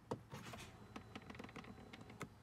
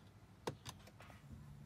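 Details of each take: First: BMW F10 535i N55 after replacing the faulty starter with a Bosch unit: a few chimes and clicks, then a short crank that catches fast and settles into an even idle; starter engages cleanly. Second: BMW F10 535i N55, press start/stop with battery fine and dash lights on: a sharp single click then a softer one, no cranking; failing starter motor sticking, replaced with Bosch starter.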